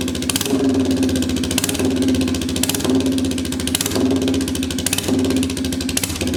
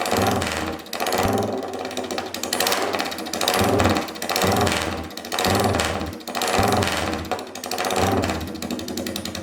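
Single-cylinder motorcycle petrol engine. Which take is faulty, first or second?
first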